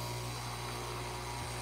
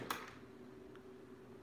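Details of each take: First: Breville Barista Express espresso machine when the brew button is pressed: steady low buzzing drone with a brief stumble as brewing starts, heard only intermittently; the pump seems to strain. A faulty pump is suspected, unconfirmed. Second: Breville Barista Express espresso machine that had made a funny noise at startup: quiet room, then a steady, even low pump hum for about three seconds with no rattle; normal pump operation.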